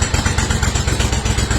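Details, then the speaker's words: Steiner zero-turn mower, Kohler Command 25 twin, reassembled after new stator, regulator, coils and wiring cleanup (previously ran on one cylinder): steady, even low burble with regular soft pulses, no knocks or misses; normal idle after repair. "we got this bad boy back together and all the bolts put in and all the wires cleaned up like they're supposed to be and starts up like nothing HS like a"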